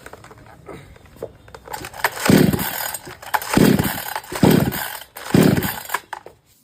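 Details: Kisan Kraft / R Yantra 58cc chainsaw that dies when the accelerator is pressed, still failing after a new spark plug: fires in short bursts, each rev fading out and dying; dust in the carburetor starving fuel is suspected, next step a carb wash.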